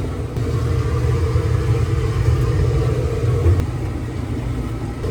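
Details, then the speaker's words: LG gas dryer after repair of no-heat fault (solenoid gas valve not working, then a quarter turn adjustment), running six minutes: steady even low drum rumble, no knocks, squeals or scraping; normal gas dryer operation. "I just had to play around with it a little bit and actually figured it out it's been running for 6 minutes and it's still going"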